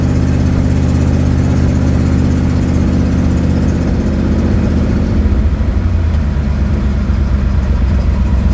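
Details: 1972 Ford Mustang driving home, phone in the dash, before repair: low engine drone with uneven puffing beats that loosen as revs change, from an exhaust leak.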